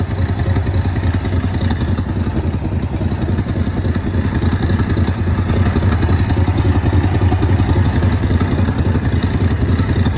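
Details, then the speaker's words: 1972 Ford F-350 bought at auction, old V8 running on a newly fitted carburetor, jump-started at the solenoid: even, low rumbling idle with a steady beat, no valve train clanging or misses; healthy idle. "Purrs like a kitten."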